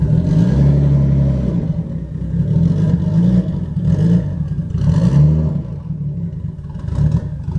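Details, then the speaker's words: Newly bought cheap Nissan R33 Skyline GTS-t being driven on the road, gearbox also noted as sounding horrible. Uneven low drone that surges and dips, revs never settling; engine running rough, cause unknown. "so yes obviously at the moment it's not running very nice but we will sort that we will definitely most certainly so do this"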